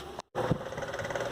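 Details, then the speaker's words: Arno Versátile fan, grille removed, walking by itself from vibration: even motor hum with coarse shuddering rattle through the stand from blade imbalance, before balancing; such shaking shortens bushing and shaft life. "Com essa trepidação, com certeza a duração da bucha, do eixo, é bem menor."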